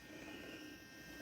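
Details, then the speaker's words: Radiolink RC8X FPV camera, just plugged in and powered: a faint, steady small-fan buzz with a light whir, even throughout with no rattle. The cooling fan runs normally. "I'm gonna plug it in. You can hear the fan blowing, and you're not going to see anything yet because there's a little cap on there."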